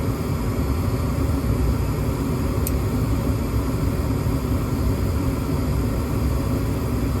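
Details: Gas furnace on a 16°F no-heat call, W jumped back with a limit switch fault found, limit temporarily bypassed for testing: steady low roar with even airflow hiss, no surging, cycling or rattles; furnace running normally.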